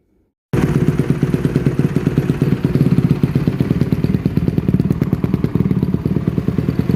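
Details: 2007 Honda CRF150RB dirt bike reassembled after buying as a basket case, with water found in it and new stator ordered; catches instantly and settles into a crisp, rapid, even single-cylinder beat with no misfire; normal running.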